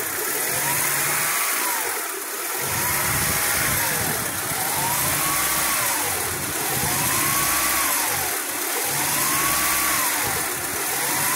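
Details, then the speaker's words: 2000 Honda Prelude SH, H22 engine, at idle off the pedal while warming up: idle rises and falls in slow waves about every two seconds, worse when warm; steady when rpm held, no misfire. Surging idle later fixed. "but if I let it sit down at idle this is me off the pedal it just does this at an idle until it starts warming up and then when it warms up it goes crazy"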